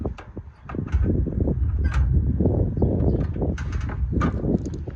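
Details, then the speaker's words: Free Craftsman riding mower cranked via jump starter with ether sprayed in: uneven chug with a couple of faint pops, never catches despite compression; spark test showed no spark. "We got compression. I hear it popping. The carb may or may not be working, but with the ether in there, it should be popping off. I heard a little bit, not enough to satisfy me."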